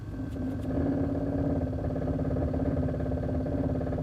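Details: 2001 Chevrolet Silverado LS 1500 at idle with a loose, uneven rattle at roughly three per second over the steady idle; owner, not a mechanic, cannot identify the source; engine rattle.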